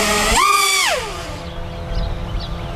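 Motors snap up to a high whine, hold about half a second and wind back down cleanly; the quad punches out without faltering.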